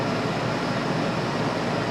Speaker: Let me shut this one off. You hear how loud this one is.